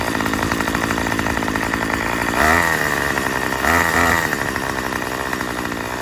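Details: Murray M2500 trimmer after a new carburetor, fuel lines and cleaning: raspy buzzing idle, and two throttle blips rise sluggishly and sag back. Still bogs; owner suspects the high-speed mixture needs adjusting with the kit tool.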